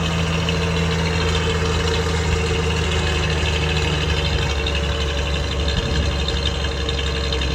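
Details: 1966 Bronco cold start, steady low rumble with an even beat settling into a smooth cold idle without knocks or misses; normal cold idle.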